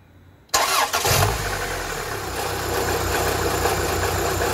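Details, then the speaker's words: K-Series engine just restarted after coolant tank replacement and refill, cold and warming up: quick clean crank and catch, then smooth steady idle with no misses or knocks; normal idle. "just let it warm up just let it warm up she hers absolutely purring"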